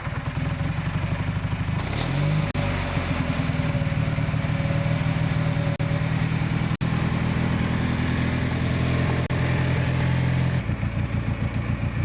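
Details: Kohler 16hp Magnum single-cylinder on a Yard Pro lawn tractor, test run after carb cleanup and reassembly, mixture screws at 1 1/2 turns each; steady even low thump at constant speed, no surging or misses, running smoothly and healthy.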